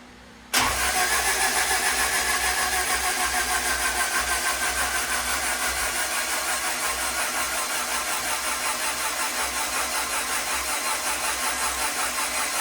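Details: Turbo Honda Integra, first crank of 2024, spark plugs removed, oil changed: steady fast even starter whir for over ten seconds with no firing; normal free-spinning crank with plugs out, battery weakening from repeated cranking.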